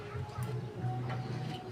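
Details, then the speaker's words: Microwave oven plugged in, customer complaint of noise and no heating: loud low buzzing hum that surges slightly, with no sign of normal heating; magnetron filament shorted to ground. "ayan pagsaksak natin umuugong. Maingay. So nakita niyo mga boss ayan umuugong lang ngayon mga boss yan yung aayusin natin ngayon"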